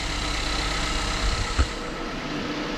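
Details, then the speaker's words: 2016 Ford Explorer Sport 3.5L EcoBoost AWD after spark plug replacement: steady, smooth, solid idle with no miss, only the high-pressure fuel pump ticking faintly in the background; normal idle. "Yep, that's what it sounds like. Sounds like an Ecoboost 3.5. I hear that high pressure fuel pump making noise in there, but otherwise it sounds good."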